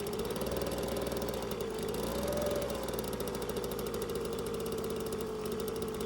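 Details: Small two-stroke engine after carburetor main jet work and reassembly, previously ran badly; buzzes steadily at fast idle, dips briefly then holds even clean note with no misfires or surging: normal running.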